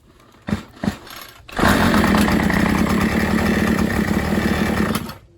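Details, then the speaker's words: Troy-Bilt string trimmer, primed: two pulls, then a few seconds of buzzy running that fades and quits; it runs only on primer fuel because an air leak starves it. "It's only going to run while the fuel's there, and then that's it. Because it can't pull any more fuel in."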